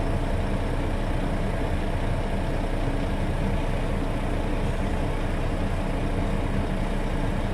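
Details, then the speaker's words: International truck at steady low diesel idle during air brake inspection from zero pressure; governor cuts back in within 30 psi of cut-out and the compressor pumps tanks back toward 120 psi with an even chug; normal air compressor recharge. "yep and I governor's cutback in and start to fill up pressure again so that systems running"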